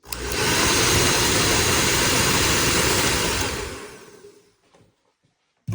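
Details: Normal running of a WADODO 2200W ionic hair dryer with an AC motor, sold as low noise: a steady, even, high-pitched rushing blow for about four seconds, then it winds down and stops.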